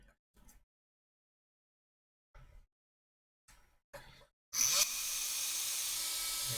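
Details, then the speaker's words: Karcher WV50 window vacuum after GT85 spray on rusty motor bearings, fan refitted: small motor spins up to steady hum with even fan hiss, sounding much better than before. "sounds a lot better now yeah so it's just this rubber that was it's all chewed up"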